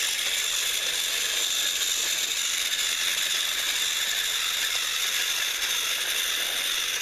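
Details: Repaired TrackMaster Salty toy engine, once seized and only buzzing weakly, final track test pulling slide-door vans: steady high whir of the small motor and gears with a faint rattly edge. It runs evenly under load.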